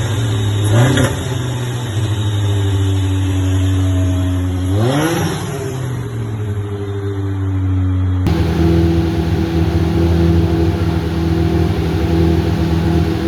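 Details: Deep Orange 9 engine, freshly rebuilt, at its first start attempt: the note climbs and falls as the throttle is blipped and never settles into a steady idle on its own; it may have a hot and a cold map, cause unconfirmed.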